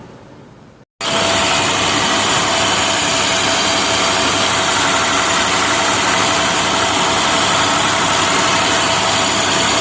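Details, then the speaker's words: Neglected trash truck diesel at high idle during coolant/combustion leak check (owner worried about cracked head or gasket from coolant bubbling): loud steady roar without misses or knocks; test passed, normal high idle. "Oh, you'll hear that I had it at high idle. So you want that exhaust gas pressure to be hi"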